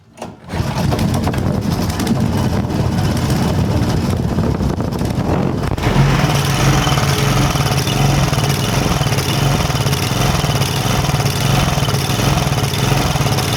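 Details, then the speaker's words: Power Trim edger with pulsa jet carb, left unused, just started: engine speed bounces up and down and won't hold steady, asking for more gas; governor hunting, dirty carb/diaphragms suspected, planned clean and diaphragm replacement. "you'll be able to see that this thing is just bouncing back and forth back and forth it's asking for more gas"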